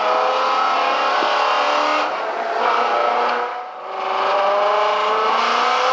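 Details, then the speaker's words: Freshly refreshed engine after cam phaser and water pump fixes, warm, oil pressure holding about 110 psi: strong, clean note at high revs, around 100 mph through a corner, easing and pulling again with no knocks or misses. "she sounds good let's start to play with it a little bit and see how it responds"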